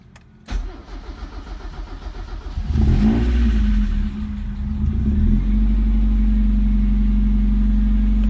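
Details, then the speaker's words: Car that had sat unused for a long time, started on a dead battery reconditioned by flushing with boiling water: about two seconds of brisk, even cranking, then catches cleanly and settles into a steady idle; normal start. "Starter nyala. Ini hari pertama ya. Setelah sekian lama nggak nyala nih mobil, coba nyalain, nyala."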